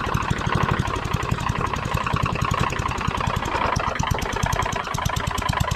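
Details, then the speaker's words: Tecumseh lawnmower engine assembled with a bad connecting rod and worn crank, idling: sharp, regular knocking about ten times a second, loud over the engine note; loose connecting rod. "Other than it knocks like crazy because of that bad connecting rod."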